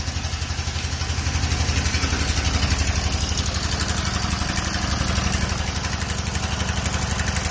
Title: No compression